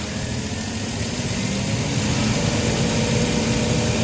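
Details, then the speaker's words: Komatsu forklift with Nissan TB45 inline-six, severe low power: very low manifold vacuum at idle, and as RPM is slowly raised the engine climbs with a flat, muffled drone and can't breathe, exhaust backing into intake; restricted exhaust. "so when you slowly increase the RPM is it cannot breathe where your exhaust gas is just backing up into the intake manifold"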